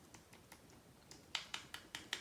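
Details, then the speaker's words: Traxxas TRX 3.3 nitro engine that ran lean and overheated regardless of tune, during teardown: light, sharp clicks about five a second as the flywheel is wiggled by hand, showing play at the flywheel; grease from the bearing had likely fouled the area. "So really quick, notice the sound it's going to make when I start wiggling the flywheel, which is a firm part."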